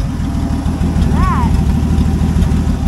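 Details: 1967 Plymouth Valiant six-cylinder idling after the exhaust pipe ripped off at the manifold catching on the trailer and bent down: loud, raw idle with hard, unmuffled low exhaust pulses chuffing steadily; exhaust leak at manifold.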